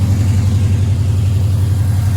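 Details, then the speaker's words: 1972 Chevrolet Chevelle, 350 small-block V8 with headers, Performer RPM aluminum intake, Holley 4-barrel, dual exhaust, 4L60 automatic overdrive: deep steady burble at idle with even firing, no misses, knocks or ticks; sounds healthy. "Let me fire it up. Digital dash. Sounds really nice."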